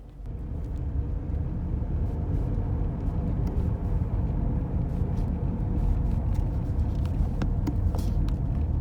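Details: Recorded from passenger side while driving: constant low drone and rumbling growl under road noise from a tire, failed hub bearing. Wheel hub bearing rumble.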